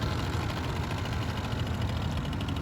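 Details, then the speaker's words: 1989 Yamaha Riva Razz 50cc two-stroke scooter with 2,500 miles, after a tune-up and a premix conversion, with a top speed of 24 mph. A steady, even low buzz with no knocks or misses; it runs pretty smooth. "So might be something we do in the future, but it seems to be running pretty smooth."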